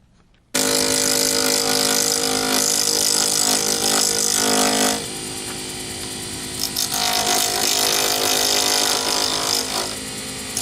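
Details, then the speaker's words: Lathe turning a D-shaped resin circuit-board blank for a Sierra pen kit: harsh, rapid rattling chatter as the tool hits the corners, easing once the blank turns round and sounds like rubbing plastic; tool chatter on out-of-round blank. "I hope you could discern the difference in noise there. When you're hitting the corners, you get a an obvious chattering noise."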